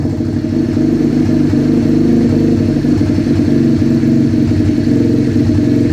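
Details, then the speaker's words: Rebuilt 125cc project bike, started with a drill, warming up: busy, even small-single putter with a steady beat, no knocks or gaps; idling fine. "Still sounds like idle."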